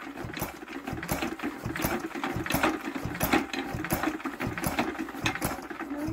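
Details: Old Crossley 1030 barn-find engine on cold first start after restoration, primed and hand-cranked: uneven sharp pops and clatter around 86 a minute, catches briefly but won't keep running; hard starting, possibly cranked too slowly.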